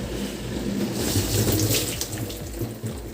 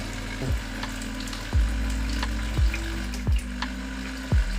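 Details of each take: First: Bosch SRV43M43RU/01 (type SD13JT1B) dishwasher after repair of the recirculation pump impeller (had hummed and not drained); steady water swishing and spraying with even low pump hum, no strain or gurgling; normal wash circulation. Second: Bosch SRV43M43RU/01 (type SD13JT1B) dishwasher, complaint of humming and not draining: steady low recirculation pump hum with faint splashing and irregular knocks, no pressure built, water barely leaving the lower spray arm. Weak flow from a broken pump impeller.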